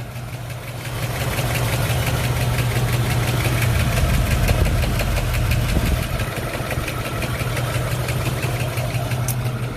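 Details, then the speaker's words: 1958 Corvette small-block, rebuilt engine, 2-speed Powerglide, four-barrel carburetor, running AMSOIL 10W-30 Z-Rod high-zinc oil for flat-tappet cam; steady even low idle during 15-minute pre-drain warm-up, soft regular beat, no knocks or ticks; normal healthy idle, quiet. "reason she's so quiet is because she already has AMSOIL in her"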